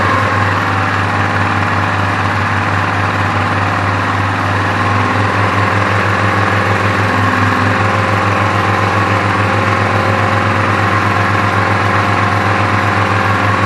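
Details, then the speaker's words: Briggs & Stratton vertical-shaft generator salvaged from the tip, powering an 850 W drill and roughly 200 W floodlight: steady, even low thrum, no knocks or hunting; carries the electrical load cleanly. "Tôi không thấy nó có vấn đề gì cả. Tôi không nghĩ nó quay khá ổn, nhưng có vẻ như nó chạy máy khoan rất tốt, đó là 850 WS."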